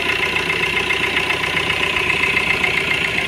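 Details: Fiat Punto diesel at steady idle after water pump replacement to fix a timing-side rattle: even clatter and constant high whir, no irregular rattle; runs smoothly.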